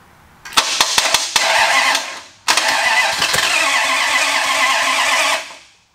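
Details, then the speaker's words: 361 Mopar big block Chrysler mule engine, first start on homemade run stand, cam already broken in: fires, revs about a second and stalls, restarts, dies again; won't idle, carburetor has barely any accelerator pump and leaks from the bowl, needs work. "it sounds good but obviously it won't idle and I've got no accelerator pump really so and we got a leak here we got a nice nice leak out of the bowl so carburetor is going to need a lot of work"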